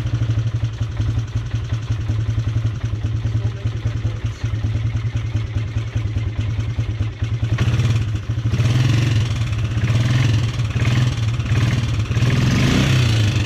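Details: Polaris Sportsman 300 single cylinder idling after timing chain and valve adjustment: irregular light tick over the low thump, speeding slightly on revs; top-end tap of unknown origin, owner suspects valve tap.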